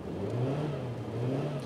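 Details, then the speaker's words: Car (not identified) on a test drive; the owner suspects a problem. Cruising at steady speed then accelerating, the engine note climbs while road speed lags and the drone stays flat and labouring: a slipping clutch. "I'm going to accelerate now and see what happens now I don't know if you can hear that but the engine is actually revving up but the vehicle isn't accelerating as it should be doing"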